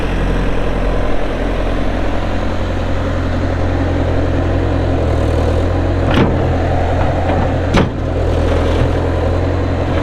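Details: 2004 Bobcat T300 skid steer loader with a pre-emissions Kubota diesel at 3,664 hours: a deep, steady diesel rumble with an even beat and no knocks or misses. It is a healthy normal idle.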